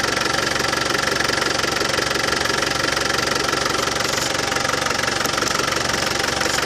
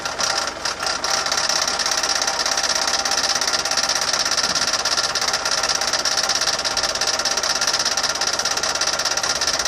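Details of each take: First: Land Rover Defender 200Tdi diesel idling after new power steering pump fitted and steering system bled: even clatter about 200 beats a minute, no rattle; new pump cured it. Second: Land Rover Defender 200TDi diesel idling before repair: a fast, busy metallic rattle like a paint rattle can rides over the clatter, steady with engine speed; the failed power steering pump, later replaced.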